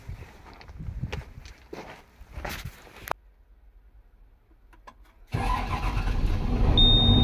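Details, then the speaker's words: Hyundai 225 excavator diesel that intermittently would not start, after replacing the faulty ignition-switch-fed electro-valve; handling clatter, pause, then fires promptly and settles into steady even run; normal start and idle. "Жәндегі бір қосылып, бір қоспай жатқан осыдан екен. Ауыстырдық. Кәне енді өзіні қосып көреміз."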